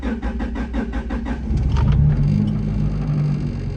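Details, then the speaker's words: 1996 Honda Civic EK hatch with stock GSR engine and transmission, start after fuel injector and air filter replacement for lag, codes P1259 and P0301 just cleared: even cranking pulses, then fires to a steady rumbling idle; sounds healthy. "well it's on I'm sure it'll be a matter of uh seconds before the check engine light comes on but it's running"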